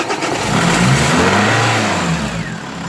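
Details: Renault Scenic 1 1.9 dCi diesel on the second start attempt after fuel filter replacement and bleeding. It cranks briefly, catches and settles into a steady, even idle with no misfire; starts cleanly.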